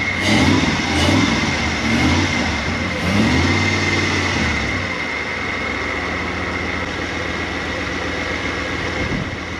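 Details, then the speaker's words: Toyota 1UZ V8 in an FJ40 Land Cruiser barn find, warming up after injectors were freed: a couple of throttle blips, then a steady, smooth, even idle with no ticking or misfire. Normal running. "we'll get you some blanks but that's sounding good that sounds real good"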